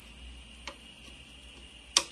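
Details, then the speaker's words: SEMP Toshiba CRT TV under repair, screen lit: thin, steady, very high-pitched whine with faint ticks, blamed on the flyback; no visible arcing in the dark, fault thought internal, resoldering possible; high-pitched whine. "o que tá fazendo esse barulho é o flyback mas assim vazamento parece que não tem mas alguma coisa interna"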